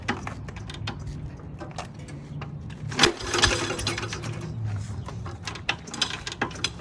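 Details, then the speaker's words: 1954 Cushman Allstate scooter, 5 hp Cushman Husky single-cylinder with magneto, first run with gas poured in the carb: quick, light, even popping at low speed, two or three beats a second, running cleanly. "So yeah, it ran great the first time around. All we did was pour some gas in the carb and it fired right up."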